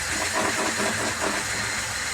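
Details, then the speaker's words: Car raised, in drive with wheel spinning: hissy scrape over engine hum; thick new brake pads rubbing inside of the wheel rim, everything otherwise checked as correctly assembled. "Because these new brake pads are so thick, they're rubbing the inside of the fucking rim."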